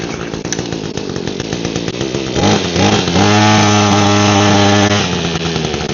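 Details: Echo hedge trimmer with a broken primer bulb, fueled with fresh fuel and started on choke. The small 2-stroke idles raggedly then revs to a steady buzz with no cutter chatter because the blades are seized.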